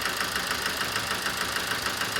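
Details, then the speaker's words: 2007 Toyota Avensis D-4D diesel with ticking, low power and a flashing engine light, idling with a steady sharp knock over a rough beat. Knocking drops when one injector is cracked off, so that injector is suspected bad and overfuelling. "you hear that there's less knocking when that injector screw off so let's put it let's put it off again that's a bad injector i think that's over fueling"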